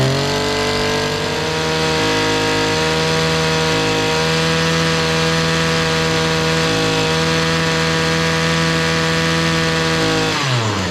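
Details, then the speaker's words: Echo SRM-225 two-stroke trimmer screams at a clean, steady full throttle, then the pitch falls on release; earlier bogging is fixed after running without a clogged spark arrester, blamed on too much oil in the fuel mix. "let's crank her up turn our switch on it already sounds better it sounds better already"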